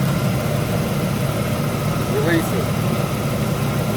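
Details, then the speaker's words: 2004 Jeep Liberty with a no-crank fault, running with a new ground wire; steady, even low idle with no misses, stumbles or knocks. "done deal just running"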